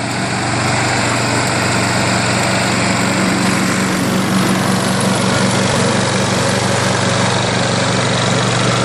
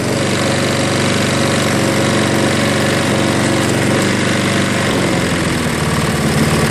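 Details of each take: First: Craftsman 22-inch self-propelled front-wheel-drive mower with a 6 hp Briggs engine, after RPM adjustment, self-propel working on one side only; steady, even buzz with no surging or misses, running clean. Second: Craftsman 22-inch 6 hp Briggs self-propelled mower after carb bowl cleaning and carb-cleaner start: slow, loping, slightly uneven single-cylinder beat; low idle speed setting.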